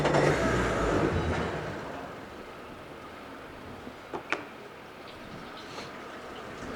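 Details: 2018 Mercury 90hp four-stroke remote outboard, 122 hours, 195 psi on all four cylinders, freshly serviced: brief loud start-up settling into a quiet, steady, even idle with no knock or rattle, cold before warm-up; healthy.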